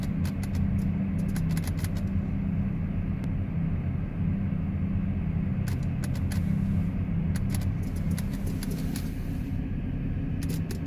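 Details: 2010 GMC Terrain: sharp quick clicks in bursts over a low hum from the key switch and relay area while the auto headlights are on. The clicking stops when auto lights are turned off; the cause is not found.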